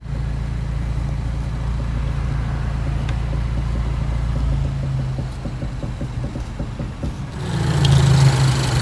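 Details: Suzuki Swift Sport (ZC33S) at idle with a light regular ticking about four times a second when the steering wheel is turned lightly; noise not heard at higher speeds, cause unclear.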